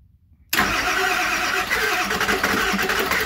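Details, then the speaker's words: 7.3 Powerstroke (Navistar T444E) diesel, first start after almost 2 years stored, glow plug relay tested good with good voltage at the plugs: catches abruptly into a busy, uneven clatter with raspy exhaust; owner thinks the exhaust back pressure valve is working. "wow [Applause] sounds like the exhaust back pressure valve works"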